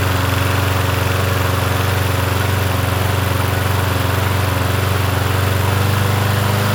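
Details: Yard Machines 21-inch push mower, 163cc engine, in cool 50s weather: steady, even single-cylinder drone with a firm regular beat and no surging or misses; running healthy.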